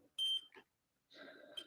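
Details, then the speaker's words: Nintendo Switch with no power, board probed with multimeter: clear sharp continuity beep as probes touch; capacitor to the far left of the M92 charger chip, leading to P13, shorted to ground, requiring full teardown. "but yeah this one's shorter now as you can hear so we're gonna have to do a whole teardown take the board out and see if the cap above p13 shorten out"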